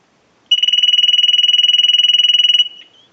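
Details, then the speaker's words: Ericofon North Electric Galion telephone after repair, final checkout rung by analyzer ring cycle: bright fast-warbling ring about two seconds, stops cleanly, even and steady; ringer working properly. "So we want to go ahead and start our final checkout, and we're going to ring the unit with our analyzer. So we'll start a ring cycle."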